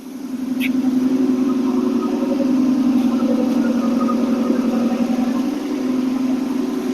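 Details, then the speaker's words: AMC 287 V8 Rambler on fast idle at about 1200-1300 rpm after the exhaust leak was fixed, choke not yet warm: a smooth, steady low drone with no puffing or ticking; it now runs clean. "okay we're about 12200 fast idle now actually about 13 might have adjust that a little bit later it sound so much better"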